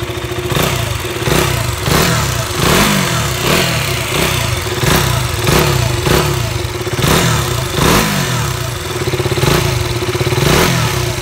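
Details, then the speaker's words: KTM Duke 200 single being blipped: a brief metallic rattle-whistle as each rev drops, coming from inside the exhaust, not the engine. Fix is replacing the entire exhaust. "it's not the engine that's making that noise it's the exhaust"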